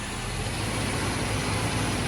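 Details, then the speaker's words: Mercedes-Benz 560SEC W126 that only runs when fed starting fluid: a low, uneven, lumpy idle that wavers and nearly stalls, worse under electrical load. Fuel pump or relay suspected, not confirmed; rough idle. "i got it to run but it's like struggling to run and it sounds like it's fuel related"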